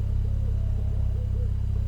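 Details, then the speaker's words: BMW N55 engine with misfiring and suspected head gasket leak, about 5 minutes idling after head gasket sealer added, still cold: steady low idle with even pulse, no stumbles, faint smoke; smooth cold idle, pulsing seemingly gone. "Like there's faint smoke coming, maybe because the car's warming up, but it's idling much better than before for now, probably because it's still cold."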